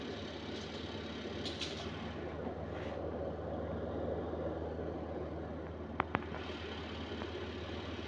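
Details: Sharp 14 kg twin-tub washing machine spin dryer after repair of a tilted drum (torn rubber seal, broken foot replaced): steady low drone with no knocking or wobble; runs smooth and normal.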